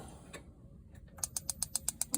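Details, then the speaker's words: Dometic caravan fridge after a new burner control loom was fitted (old loom's gas-valve connections had come loose, giving a flashing light and no ignition): crisp, even igniter ticking about eight per second as the burner fires and the gas valve opens; normal ignition. "you can hear it ticking away and the gas valves opened."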